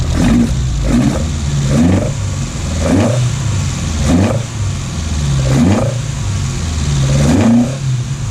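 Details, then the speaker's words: Datsun 1200 ute, newly installed dual Weber DCOE carburetors, not yet adjusted: deep throaty intake gurgle with repeated throttle blips about every second, quick clean return each time; running well. "So let's kick her in the guts, as they say. See what happens. Let's listen to her"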